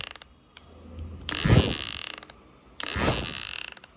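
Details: Magic Bubble Fan toy after replacing its faulty micro switch: two bursts of about a second each, light whirring with rapid fine ticking from the gears, running evenly with no grinding or stalling; normal gear drive.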